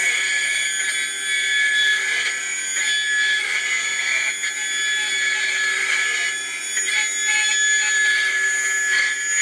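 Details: Atlas launcher gyro rotor on spin test, fed 115 V AC across terminals A and B via a 270 nF capacitor: a high, steady whine with several shrill tones over a hissy background and no low rumble, very noisy at full speed.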